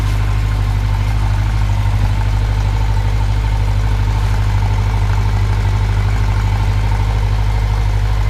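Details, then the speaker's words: Honda Nighthawk motorcycle cold start at about 15-19°F, below half choke at about 1200 rpm, warming the oil: smooth, even, steady fast idle with no misses or knocks; normal cold fast idle. "let the oil warm up a little bit I guess right now it's on it's not even it's it's below half choke right now sitting at about 12200 RPMs"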